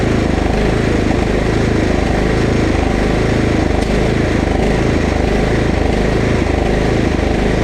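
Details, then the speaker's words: Husqvarna LT1538 mower with Kohler CV15S single-cylinder engine on old ethanol fuel: uneven hunting beat about 220 pulses a minute, briefly smoothing when carb cleaner richens the mixture — surging from lean fuel, carburetor to be cleaned. "I'm convinced that we're having a fuel issue usually hunting like that is a fuel issue"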